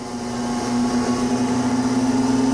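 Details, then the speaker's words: 1991 Okamoto PRG-6 rotary surface grinder with 23.6" magnetic chuck and 10 HP wheel motor, table running: a steady motor hum rising in pitch as the chuck speeds up toward the centre, by design for constant surface speed; normal. "the closer that grinding wheel gets to the center of that chuck, if you pay attention, you'll see that this chuck starts to go faster. That's a special design of this Okamoto, to keep the surface beat continuous."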